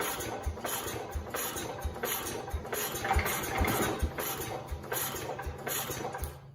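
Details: 1969 Cub Cadet 105 with a chronic hard-start problem, choked after sitting a few minutes: steady starter chugging, about two compression strokes a second, never catches; cranks but won't fire, owner suspects a dying battery.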